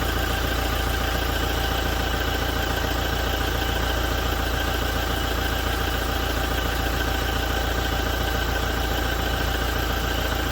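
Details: 2017 Toyota diesel idling after a major service: steady, hard, even knocking and rattling at roughly three to four beats per second.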